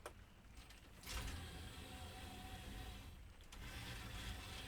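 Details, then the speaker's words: Technics SL-MC400 CD changer after repair, searching its discs at power-up from the parked position: quiet whirring and light, even mechanical clicks as the carousel steps through. Normal disc search. "It's exactly what it's supposed to do. It's had a look at the disc and it's going to now play disc 89."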